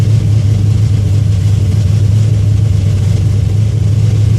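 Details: 1981 Cutlass, SBC 357 with Comp XE274H cam, Holley 600, shorty headers, Super 44 Flowmasters: a deep, loping V8 burble through loud exhaust at a steady choppy idle. Normal cammed idle.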